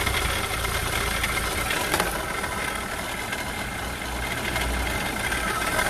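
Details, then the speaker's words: Renault Clio 3 diesel, 300,000 km, 85 hp, at idle: a rough, gritty rumble and faint whir over the diesel clatter that stays steady with engine speed, from a failed alternator with worn bearings. "donc j'ai en alternative qui est hs c'est bien celui là à l'intérieur et là un jeu de roulement et que du bruit"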